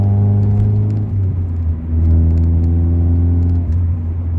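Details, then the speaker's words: Honda Accord CD5 with a 2 3/8-inch cat-back and no muffler, only the catalytic converter, recorded inside the car on the highway: deep booming drone swelling with revs, worst on deceleration. "So, like, there is no muffling to this system at all. I think the catalytic converter is literally doing everything. So we'll get some inside shots. There you can hear the drone."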